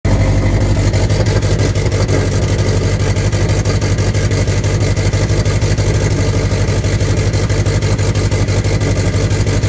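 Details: 2008 Subaru STI on a cold start idles roughly with a low, lumpy, uneven beat instead of a smooth hum; occurs only on cold start, cause still being diagnosed.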